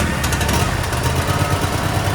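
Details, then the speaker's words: Cub Cadet RZT SX EFI zero-turn mower, 202 hours, 11.9 V shown, that cranked but wouldn't start; after replacing a bad relay it fires right up and settles into a steady even low thrum with no misses or stumbles. "Started right up. Let's do it again."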